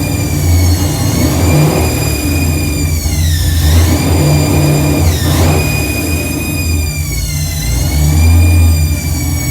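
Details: Truck with newly installed Megasquirt ECU, cold start with throttle blips: high whine rising and falling with revs over rough idle; source unknown, owner will remove accessory belts to test, else suspects transmission.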